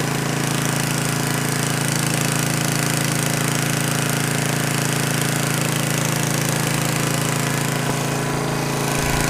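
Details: Gas generator that had no compression, after valve lapping and carbon cleaning, running under load from a heat gun: steady, even small-engine hum with a regular firing beat and no stumbles or knocks; normal running under load.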